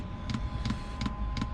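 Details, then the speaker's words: Diesel heater in a van, just restarted: sharp double ticks just under three a second over a low hum from the fuel dosing pump, before it is insulated and suspended off the van body. "Alright guys, you can hear that ticking away. Just started the diesel heater back"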